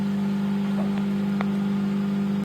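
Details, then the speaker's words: Microwave test run after repair, heating water: steady low hum with soft fan rush underneath, holding even throughout; magnetron and high-voltage transformer running normally. "Yes guys, so you can hear the microwave run. Fan spin and everything."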